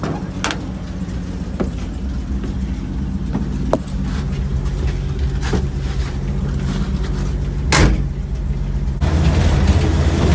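Rough idle with sharp puffing ticks over a low rumble, about three a second and uneven; classic leaking exhaust.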